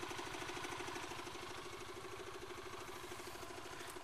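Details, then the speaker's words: Honda Supra GTR 150 (K56 series) at about 2011 km, idling: light metallic clatter ticking steadily over idle, loudest at the top end; known K56 cam chain tensioner problem, owner bought a manual Karisma lifter tensioner to fix. "Nih, jadi yang dimaksud dengan penyakit klotok-klotok di K56 series itu kayak gini nih."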